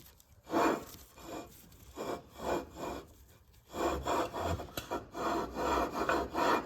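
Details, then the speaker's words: Predator 212 engine being built for a Motovox minibike: flywheel lapped onto the crankshaft taper with compound, key left out, spun back and forth by hand, gritty rasping grind about three strokes a second, so keys don't shear. "Then we're gonna be spinning this. Make sure no key, don't put the key in yet. You should hear that nice grinding noise."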